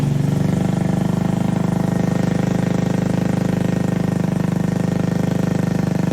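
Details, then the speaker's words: Honda Navi scooter that cranked but never fired (old carb clogged with dirt after water/off-road use), now running on a new 19mm Nibbi carb with idle, main jet and idle screw not yet set up; steady even quick putter, smooth idle. "yeah so this did end up firing uh since it is a new carb though nothing set up idle's not set up Main Jet not really anything uh idle screw so just kind of a guess and slap it on for now"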